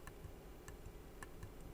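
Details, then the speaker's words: Alpine 3342 car audio equalizer front panel under repair: crisp, distinct clicks, four in about two seconds, as working push-button switches are pressed in a quiet room; one other button is broken and silent. "Alors là, ça fait des claques. Ils font tous un claque."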